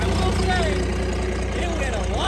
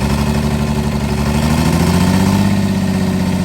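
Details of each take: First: Cummins diesel burnout truck, thought blown up, just restarted: steady even idle, low regular beat, faint exhaust whistle and little exhaust kick "like a sewing machine", said normal; front seal suspected leaking, oil low; normal idle. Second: Cummins diesel burnout truck idling rough with uneven lumpy beat and brief rev blip; one cylinder misfiring, temps roughly similar; dead cylinder traced to broken rocker bridge.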